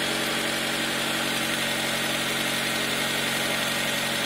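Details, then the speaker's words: 2000 Honda Civic after a burnt valve was welded closed and reground, reassembled and idling high because there is no coolant: smooth, steady idle with an even beat, no misfire; normal idle. "but as far as I can tell he's good no misfire"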